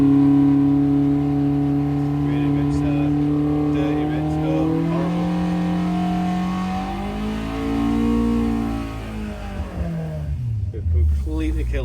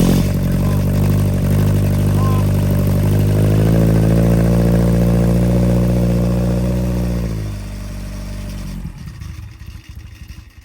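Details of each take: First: Fresh 1200cc five-bearing Hillman Imp engine with Coventry Climax FWH head on a loaded dyno: revs up then sags and falls away, rough and flat; over-fuelled, running rich. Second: Fresh 1200cc five-bearing sand-cast Hillman Imp engine with experimental Coventry Climax FWH head, first fire-up on the dyno after ignition advance adjustment: strong, even firing, picks up smoothly with throttle and settles; healthy, though possibly a bit lean.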